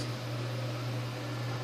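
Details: Older desktop PC (512 MB memory) that would not power on; PSU fuse replaced, no bulged electrolytic capacitors found. Constant low hum with soft airy rush, no rattles or buzz: power supply cooler fan running smoothly and normally after repair.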